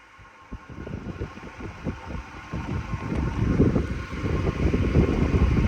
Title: Humming sound the stand fan @standfan